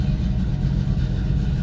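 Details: Carbureted vehicle being worked on (a '72 C-10, Tahoe or '53 Bel Air), just started after sitting. It is said not to like running cold and needs to air up. Steady, even low idle rumble with no knocks, misses or surges.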